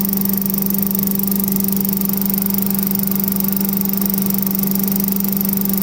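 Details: Vintage Heckinger leaf vacuum (possibly MTD-made, unsure) with a 5 hp Tecumseh TVS120, repaired with a new carb inlet needle, seat and float: a steady, even single-cylinder drone with a constant hum and no misses or knocks; runs smoothly and healthy.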